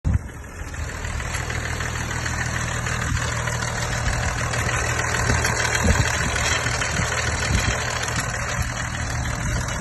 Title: BMW M550d Turboschaden / Motorschaden Turbo failure or engine failure